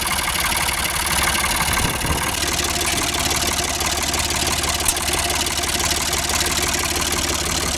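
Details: Ford 4600 tractor diesel after fitting a service-exchange injection pump. Steady tick-over around 700 rpm with even firing clatter and no misses or labouring; normal idle.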